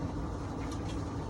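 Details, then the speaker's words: Whirlpool dryer, model YWED9620HCO, after replacing the belt, drum rollers and idler pulley to cure a squeal: smooth, constant low drum rumble free of squeaks or grinding; runs normally. "All right, we got it fixed. Sounds a lot better than that screeching, crazy noise that's going on."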